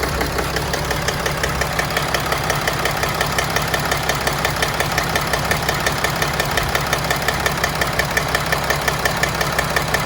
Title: 2011 Mercedes Sprinter Engine Rough Idle Problem pending code P2610